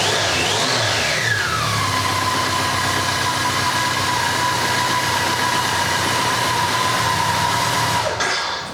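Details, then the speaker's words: BMW K100 project bike, first start with choke on: four-cylinder runs uneven and hunting, with a whistling tone settling as revs drop; rough running, a vacuum leak suspected and fuel leaking out. "There's a vacuum leak there somewhere, and it's fucking pissing out fuel"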